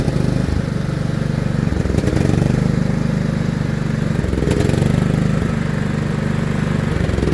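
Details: John Deere L110 lawn tractor's small engine, revived after sitting three years under a gum tree with its carburetor removed, runs with an even thumping beat on a temporary fuel supply, dipping briefly twice and then recovering and holding speed.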